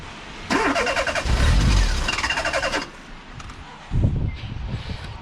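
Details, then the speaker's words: Car bought on a £700 first-car budget, at a petrol station: starter churns about two seconds, engine catches briefly and dies, then a weak short crank; won't start. Suspected flooding, fuel smell noted, unconfirmed. "Pump it, Lloydie. You might have flooded it."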